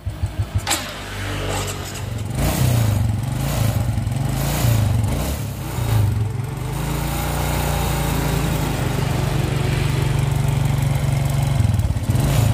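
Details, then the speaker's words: Suzuki Smash motorcycle after starting: revs break up with sputtering stutter each time the throttle is opened slowly; carburettor suspected, plugs likely foul black and die quickly, fuel consumption likely high. "Tadi suaranya merk sahabat semua suaranya itu pokoknya tiap ditarik gas itu suaranya Jadi tiap di tarik gas pelan-pelan itu langsung suaranya merebetnya jadi kelihatan sekali"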